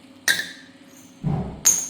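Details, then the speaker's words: Copper water pipe buried under a concrete floor, leaking and splitting further along with each cut: two sharp taps give a thin, dead, hollow knock with no ring; pipe wall corroded paper-thin, needs rerouting. "the Pip's gone Hollow there's just nothing every time I kept cutting it it kept splitting further along"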